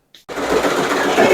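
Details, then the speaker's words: Voltas window air conditioner running: fast busy clatter from the cracked outer condenser fan blade striking the housing; broken fan blade rattle. "देखिए, ये इसकी पंखड़ी जो है टूटी हुई है, ये इसकी वजह से इसमें खड़खड़ की आवाज़ आ रही है।"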